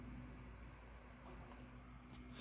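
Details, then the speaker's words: 16-inch MacBook Pro i9, 32GB RAM: soft steady fan whir audible at light load before a Final Cut Pro export, normal laptop fan hum. "which is really quiet and it has great battery life whereas this one you can already hear the fan"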